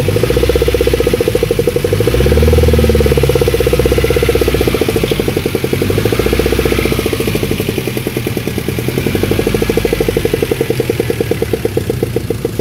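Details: Daewoo Nexia 1.6 at about −17 °C cold idle: steady fast ticking knock, about four per second, over the engine hum; engine knock of unknown cause, shops ruled out hydraulic lifters and crankshaft, oil change suggested first.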